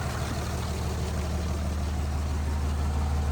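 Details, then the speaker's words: Cummins diesel truck idling after new fuel pressure sensor fitted without thread tape: deep, even idle, no misses or knocks, much less smoke and good fuel pressure; running smooth, oil pressure sender reads zero, likely faulty. "A lot less smoke. Sorry about the, let me clean my lens real quick. So as you guys can hear, she is running smooth."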